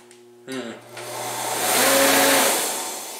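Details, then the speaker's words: Torpedo shop heater with a "stuck" fan: low steady electrical hum with no spin-up, then a rushing surge as the fan turns, at one point running backwards and sounding different; motor not starting. "yeah the motor is just not starting look at that"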